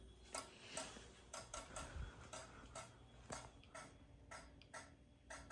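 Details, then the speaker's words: Fire alarm test, CO detector activated: sharp relay clicks about once a second, slightly uneven, from CO strobe sync module relay syncing strobes; normal operation. "But before it gets out to the strobe, it has to go through CO strobe sync, which that's what's making all the clicking noises. That is a sync module, and you can hear the relay in there clicking."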